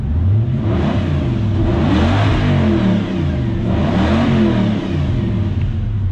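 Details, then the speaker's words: Lexus LS400/Celsior 1998–2000 1UZ-FE VVTi V8 just started on Link aftermarket ECU via plug-and-play adaptor: smooth idle with two clean blips, no stumble or miss; normal revving. "Well, that sounds good too. Beauty."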